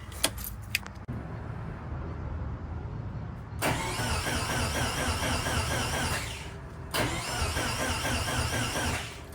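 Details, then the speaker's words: Subaru STI build (~500 hp goal), first start attempt: steady starter whirr in two long bursts with no firing or catch; engine cranks but won't start because the fuel pumps were getting no power. "So the problem I was having, the vehicle was not starting, is because I wasn't having any power to the actual pumps."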